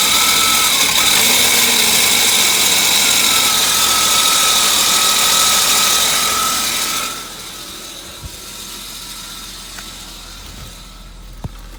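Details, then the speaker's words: 1998 Volvo V90 screeching noise from cam area at rear of engine; steady high metallic screech over idle for about seven seconds; was metal-on-metal before topping up low oil, which changed it; valvetrain, possibly valve, suspected, not confirmed. "originally when the noise was first happening it sounded like just straight metal on metal and then I poured some oil in it cuz it was marking kind of low and it did improve or change the noise"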